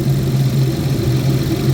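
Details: 2011 GMC Terrain/Chevy Traverse with past P0341 cam code, warm after 20-mile drive; only P0420 remains, wiggle test on cam wiring causes no dropout. Deep steady hum, no stumble or sputter; normal idle.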